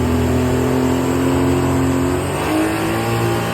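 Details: Sea-Doo 1503 engine after a rebuild (one cylinder resleeved, bored and honed, new pistons, rings, bearings, gaskets), running hot in sport mode: strong, clean roar climbing smoothly as revs rise; pulls evenly and sounds healthy, steam not smoke.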